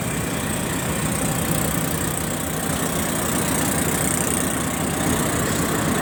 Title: 350 dn chaman passenger stationed at baleli railway station. strange noise coming from RGE 20 5117